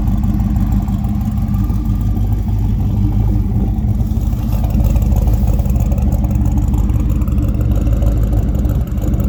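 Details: A supercharged 302 Windsor V8 with a non-intercooled Roots-style blower, during tuning: a deep, steady low rumble with an even, slightly lumpy beat and no knocks or ticks. It idles cleanly.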